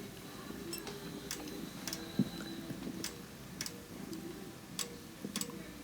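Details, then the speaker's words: Bosch Axxis washer flashing three lights on start: the relay clicks three times over a quiet room, then the error appears, usually meaning a door lock fault; door lock inspected next. "hear the the relay click three times and then you get this error code and this usually means that something's wrong with the door lock"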